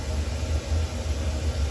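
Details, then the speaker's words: Newly installed combi gas boiler, apparently at maximum flame (three lines on display) on hot water demand: steady deep burner roar, even and unpulsing, no whistles or bangs; normal running at full flame. "I guess that's now maximum flame because we've got 3 lines."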